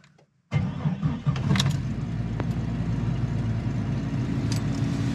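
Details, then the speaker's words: 1999 Jeep Cherokee cold start at below 27°F after replacing stock single-hole injectors with remanufactured Bosch 12-hole injectors: engine catches immediately and settles into a smooth, steady low idle; starts easily, where it previously struggled once. "it seemed to start up real easy."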